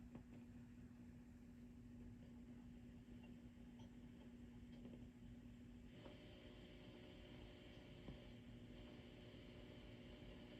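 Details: Orange Rocker 30 tube amp, clean channel, idle on a current limiter: quiet low hum under a faint irregular crackly rustle; cause unknown, though a microphonic EL84 power tube is later suspected.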